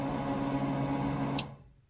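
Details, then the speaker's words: 1954 Chevy 3100 hot rod under build, on a first test of newly spliced PCM/fuel-pump power wiring with no gas in the tank: a short electric hum of about 1.5 seconds that cuts off cleanly, a normal fuel pump prime. "Sweet. So, that noise you heard was the fuel pump priming, even though there's no gas in it."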